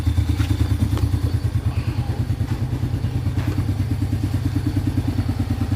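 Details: Yamaha Vega R after piston replacement (size 50) for heavy white smoke, tested with exhaust off: even, steady idle pulses about three per second, no knocks or rattles; no smoke, oil reaching head, healthy, break-in of about 5–10 minutes next.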